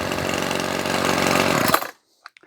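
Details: Ryobi Grass Scorpion RCT-2800 two-stroke trimmer after fuel line and primer bulb replacement, warm restart: even steady buzz without misses or surging for two seconds before shut-off; idles cleanly.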